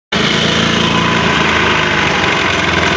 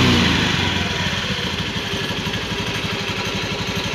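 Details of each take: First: Honda Beat scooter starting and idling: a coarse, chopping helicopter-like throb from the CVT area, said to be quiet when throttled. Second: Honda Beat FI scooter whose CVT sounded rough like a helicopter, after CVT parts were replaced and the cover refitted: revving smoothly with an even, clean drive note and no flutter or rattle from the belt side; CVT now quiet.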